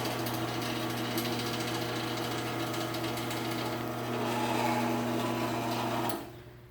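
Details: Sears garage door opener after a new sprocket was fitted, running: steady motor hum under a fast, fairly regular rattle of about three or four a second that stops at the end; the trolley is loose and rattling.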